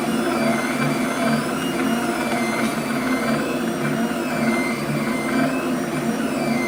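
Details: Flux 3D printer stepper motors: constant high whine with shifting tones as they move, ringing through the frame via rigid mounts; damper modification decoupling motors from brackets makes the sound less high-pitched.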